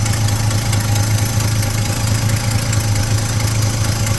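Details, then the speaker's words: 1972 Chevy C10 pickup with new distributor, fuel now drawn from tank, coolant filled: deep, steady V8 burble at even idle, no ticking or misses, smooth exhaust note; sounds healthy. "Sounds good. I don't really hear any ticking, but my hearing is not all that great."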